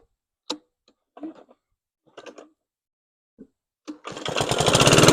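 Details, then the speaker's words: PowerSmart 21-inch push mower DB2194PR with RATO 170cc engine, a curbside trash-day find, on first test run: after a few handling knocks it fires up with a harsh, clattering mechanical clank from inside, cause unclear; clanky engine noise. "yikes really clanky it runs though surprisingly they threw out a running machine"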